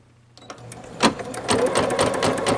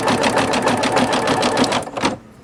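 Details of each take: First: Singer Futura XL 550, before fix: fast clattering rattle about twice a second from the bobbin area while running; caused by a throat plate cover not seated fully forward. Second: Singer Futura XL 550 after the bobbin-area rattle fix: fast, even stitching with no rattle or clank from the bobbin, so it is running normally.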